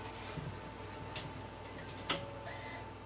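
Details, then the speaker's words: 1998 Nissan Pathfinder BOSE radio after repair (CD Err fixed by fitting a replacement CD drive from a 2000 I30 radio, display solder joints fixed), bench test: faint mechanism clicks then soft high whir as disc spins up and reads; healthy. "There it goes spinning up."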